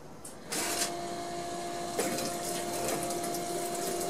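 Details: Coolant pump on a dental 5-axis CNC, being checked after the machine was dropped by movers, running with a freshly filled water tank: a click, then a smooth, steady hum with an even whine and splashing liquid; working normally.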